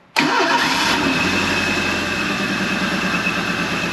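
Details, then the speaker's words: 1983 Ford Thunderbird Turbo Coupe, 2.3 litre turbo, 5-speed, not run in 20 years, bad-smelling fuel, fuel pump wired directly: brief crank, then catches straight away and settles into a quiet, steady idle; starts and runs cleanly. "well that was almost like boring it's so quiet"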